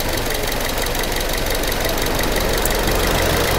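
A petrol car engine idles with a steady, even beat and no stumbling or skipped firing.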